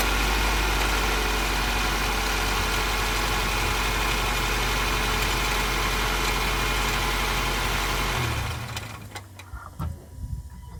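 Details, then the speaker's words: Nissan Micra chasing a belt squeal, with only the water pump/tensioner belt fitted: steady, even idle with no squeal, then the engine is switched off and runs down; the owner wonders about the A/C bearing. "So I've left the water pump and the water pump tensioner belt on, no squealing."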